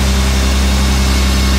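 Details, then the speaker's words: BMW 1 Series convertible, M package, six-cylinder with 328 intake camshaft, hood open: deep, even hum with steady low drone, no knocks or stumbles; smooth, healthy idle. "Er läuft seitenweich. Machen wir uns einzeln, ne? Oh, er läuft super, Digga. Wirklich schön. Ja, Sechszylinder."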